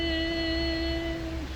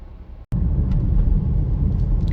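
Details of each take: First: Nissan X-Trail/Rogue hybrid, not in ready mode, engine start requested via scan tool: a steady electric motor whine for over a second then sagging, with no cranking or firing; motor spins but doesn't turn the crankshaft, mechanical issue suspected. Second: 2016 Nissan X-Trail hybrid (HT32), warmed up after about 15 minutes of driving on a rainy road, test drive after repairing a no-start: steady low drivetrain rumble under wet road noise with no knocks, whine or clunks, pulling smoothly.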